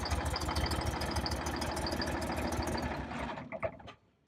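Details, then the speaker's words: Detroit Diesel 6V92 engine in an MC9 bus, cold start with no pre-warming: uneven chuffing for about three seconds that fades and quits, as if only one or two cylinders fire; owner suspects leaking or clogged injectors or stuck rings. "I'm gonna do this a little bit and it starts don't want to go again all right we'll do it again it sounds like I don't know maybe one two are firing"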